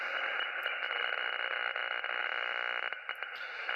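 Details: Radio receiver with steady hiss, a faint pulsing buzz in the upper range and brief dropouts, comes and goes on all bands and more than one antenna, persists with the house breaker off; interference of unknown origin, solar storm suspected.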